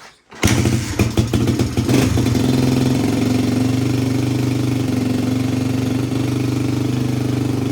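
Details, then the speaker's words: 1985 Suzuki DR250 survivor single after exhaust and intake work: catches after a brief crank, settles into steady even idle, no ticking or valve chatter, started easily; sounds healthy. "Sounds really good. No valve chatter. Started up pretty easy. And it's actually idling."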